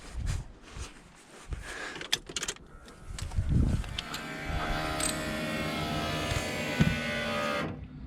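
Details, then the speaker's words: VL Commodore no-start after fuel line repair, ignition primed: even electric buzz about three and a half seconds then clean cutoff, sounding better than before; normal fuel pump prime. "there we go that sounded a lot better than last time"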